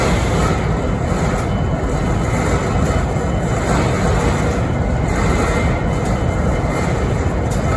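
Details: Idling BNSF 5910 diesel locomotive in Springfield, Missouri (11-13-2022): heavy, steady diesel rumble with faint hissing swells about every second and a half; unexplained idle noise, cause unclear.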